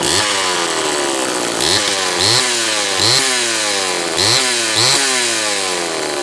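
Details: Homelite Super XL two-stroke chainsaw after new piston installation: crisp throttle blips rising and falling cleanly, even firing, no misses or rattles. Normal running.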